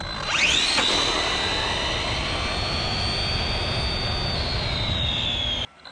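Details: Redcat Racing Kaiju EXT RC truck on 3S: a shrill whine climbs fast on launch, then holds high and steady. The pinion is meshed too tightly, which the owner thinks comes from the motor clamp pushing it into the spur. Top speed was a slow 36 mph, handling was all over the road and the brakes were rough.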